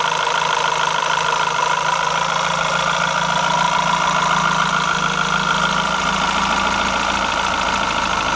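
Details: Renault F4R engine at idle: steady idle with an uneven, rough clatter over the engine note; abnormal engine noise, cause unclear.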